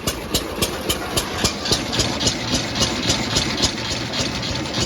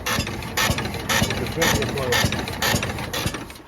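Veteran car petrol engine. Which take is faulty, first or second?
second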